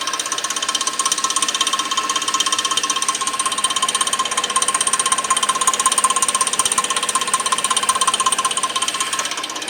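A steady, fast metallic clicking, close to three per second, runs evenly over the engine; the source isn't clear from sound alone. Cause suspected, not confirmed.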